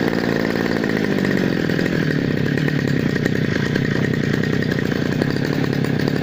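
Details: Two-stroke grass cutter after cleaning a dirty spark plug with petrol for hard starting: steady, fast buzzing run with no misses or surging; firing cleanly and healthy.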